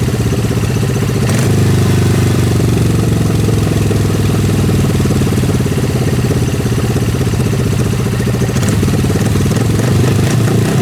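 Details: Suzuki GS500 after repair of a weird noise with carburetor pushing back and RPM dropping: engine catches and settles into an even, steady idle with no air rush or speed dips; noise gone, normal idle.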